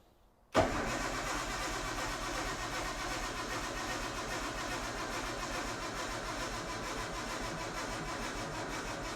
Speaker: Now, we should get a crank. There you go. Lose battery again. So, so far nothing so far.